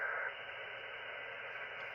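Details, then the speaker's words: Ham radio HF receiver, filter narrowed to 2.4 kHz: steady loud hiss and rushing static with no clear signals; heavy local interference, source not identified. "But this noise on here is pretty bad."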